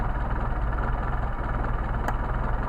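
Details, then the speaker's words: Mercedes 190SL on rebuilt matched Solex carburetors #62468/62474, after adjustment and linkage synced with no RPM change: smooth, even idle around 700–800 rpm, within factory spec (up to 1000), no misses or knocks. "I've got an isle of about seven eight hundred that it's about what factory says there could be up to a thousand"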